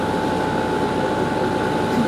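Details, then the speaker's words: Garage A/C compressor after 5–10 minutes running in heat, readings 112° bottom to almost 140° top: steady loud hum with a mid-pitched drone, no knocks or rattles; labouring but air blows ice cold, normal running under heavy load. "you can hear it's definitely in labor and as far as the air is putting out blown on me that's ice cold"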